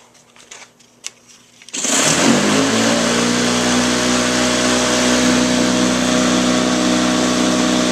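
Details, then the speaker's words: Black and Decker electric lawn mower after tightening a loose blade that had caused the noise: steady, even motor hum with clean blade whir and no rattle; motor bearings are fine. "so I tightened the blade and now it works fine so the motor bearings aren't bad motor bearings aren't bad after all"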